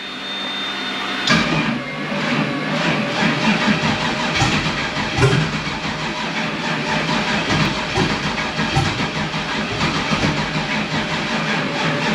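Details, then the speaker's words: Turbo S10 truck's first start of 2022 with the turbo kit off, after a fresh ECU tune load and with the dead battery on a charger. It cranks and catches easily, then hunts at a rough, loping idle from a vacuum leak: lines left open with no wastegates or blow-off valve fitted. "it started up and it actually started really easy and it got to a point where it started doing uh an idle search because i got a couple vacuum lines that are not a jet on because i don't have my waste skates or my blow-off valve on and stuff like that so there is a vacuum leak"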